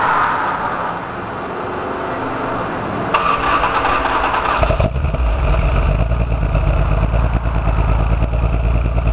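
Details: Toyota 7M-GE six-cylinder idling rough with an uneven, stumbling beat; no spark in cylinder 6, misfire found to be a blown head gasket.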